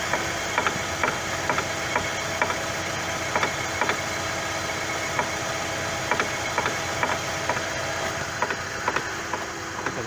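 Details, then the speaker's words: Chevrolet Lacetti, right side, engine running in gear after the outer CV joint was replaced: light, regular clicks about twice a second, a "thun-thun" knock caused by the front wheel hub not being clamped tight. "выяснилось это ступица [музыка] чему не зажата и получается такой характерный звук"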